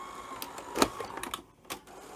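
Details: Sony SL-F30 Betamax loading a cassette after a pinch roller change and tape path guide alignment: brief motor whir and crisp clicks as the tape seats, no grinding or straining; normal loading.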